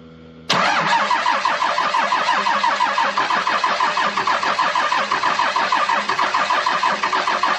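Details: 12-valve Cummins 5-speed hard start in winter with new batteries: catches with a roar, then runs rough and uneven with irregular pulsing, slow to fire on all six; owner suspects the injection pump or injectors. Diesel hard start.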